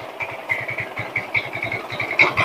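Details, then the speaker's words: Honda Vario 110 carbureted scooter, complaint of rough running and no power, starter gear reportedly replaced: at idle rapid, evenly spaced metallic ticking over a thin engine note; harsh engine clatter, cause unknown. "Oh, memang untuk suara di bagian sini itu suaranya parah tuh sampai kelotak-kelotak tu."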